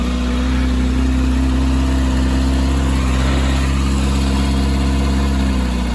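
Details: Kawasaki Ninja ZX-6R after fuel pump assembly diagnosis: steady, even idle with a smooth low drone, no misses or knocks; normal idle.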